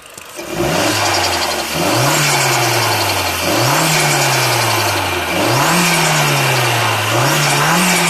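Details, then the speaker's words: Mk4 Golf GTI AUM with vacuum pipe from diverter valve top to wastegate actuator deliberately disconnected: revs rise and fall, each lift-off bringing fluttering chatter; a leak in that pipe causes turbo flutter. "But yeah, that will be your problem. You've got a leak in that pipe that goes from the top of your diverter valve to your actuator."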